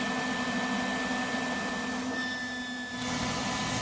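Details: Lincoln 180 amp MIG welder after the fix for the high-pitched vent whistle (cap glued in place): even cooling fan rush with a low steady hum and no sharp whistle; fan sounds normal.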